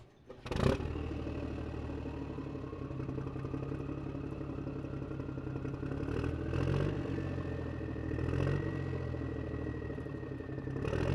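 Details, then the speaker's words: Acura MDX/Honda Pilot 3.5L V6 first start after a rebuild with new piston rings: steady, even idle after a brief start-up burst, with a faint valve tick (valves still need readjusting). It starts with no check engine light and runs healthy. "got a little bit of valve ticking but we need to just readjust those anyways like I said in the previous part so hey but it starts no check engine light"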